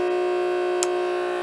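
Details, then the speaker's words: Old small 12 V water pump on weak battery (12.27 V): steady buzzy mid-pitched whine, pumping slowly and strained; either pump or battery dying, not confirmed. "Seems like it's going kind of slow. Wow. Yep. Listen. Either my pump is dying or my battery is dying."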